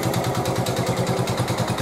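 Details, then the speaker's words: 1986 Honda TRX 70 after top-end rebuild and new fuel lines, choke on: sharp even knock about eleven times a second over small single idle, initially thought to be valves but found to be piston and cylinder, no smoke. "That Knocking was not the valves it's been probably 3 weeks since I just said those words I ended up taking it all ap"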